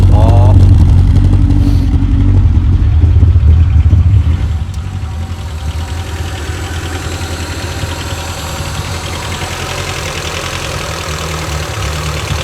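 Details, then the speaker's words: Rover 416 GTi non-runner started after replacement part fitted, cold; catches and revs, then idles with a steady beat that stumbles now and then, sounding misfirey; ran nicely once warmed up. Cause not confirmed. "It might start anyway because it ran before, it just cut out, so. Okay, sounds a bit misfirey."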